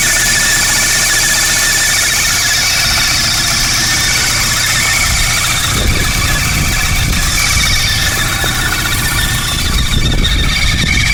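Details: Mk3 VW Golf GTI with the 2.0 petrol engine, around 240k miles, at idle: a loud, steady high-pitched screech by the serpentine belt. It started suddenly, and the owner is unsure which part to replace.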